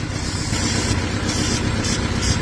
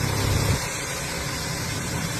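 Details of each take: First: Vauxhall Astra petrol engine idling unevenly with a lumpy, stumbling misfire; spark plugs unchanged for about 37,000 miles and found worn out, gas escaping past them; plugs and coil pack being replaced. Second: Vauxhall Astra petrol engine idling evenly, steady low hum with no stumble or miss, after fixing a misfire by replacing worn spark plugs unchanged for about 37,000 miles (gases leaking past them) and the coil pack.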